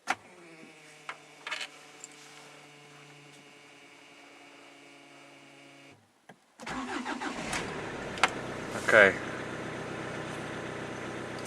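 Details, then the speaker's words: Hyundai Santa Fe I 2.0 CRDi diesel after fuel pump repair, restart test: pause, short crank (battery weak), then catches and settles into steady even idle; normal start and idle. "Dobra, zapalił. Jest ok. Słaby też akumulator, bo słyszałem jak kręcił rozrusznik."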